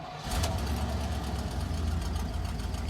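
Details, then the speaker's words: Suburban V8 at idle after manifold reinstalled with new square-cord gaskets: steady rumble with a light, quick ticking that follows engine speed. The exhaust manifold still leaks despite the repair attempt. "still leaks oh maybe there's something else going on i'm missing here well that's a fail that did not work"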